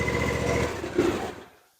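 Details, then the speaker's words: Cub Cadet ZT2 50 with Kawasaki FR691V V-twin, after a service (oil and filter, fuel filter, air filter, spark plugs), run at half throttle on choke: fires and runs with an even, steady beat, then shuts down cleanly. It sounds healthy. "Sounds good, no issues."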